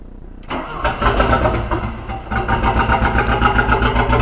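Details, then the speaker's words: 1981 Porsche 931 turbo, after the distributor and rotor timing was set: short crank, catches within half a second and settles to a smooth, even idle, loud through a holed exhaust with turbo audible; starts and runs fine. "Now it started right up. find the throttle."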